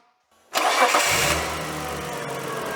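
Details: Holden VL Turbo Commodore, 37 years old with 200,000 km: quick crank, clean catch, then a smooth, quiet idle settling within a second; healthy start with no roughness, idling like silk.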